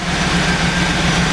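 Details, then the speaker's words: 1994 Pontiac Trans Am 25th Anniversary LT1 V8 idling right after fuel injector replacement meant to cure a cylinder miss under mild acceleration: low, steady idle burble, even firing, no miss or hunting; idle sounds good. "And that completes that job. Alright, sounds like it's idling pretty good right there."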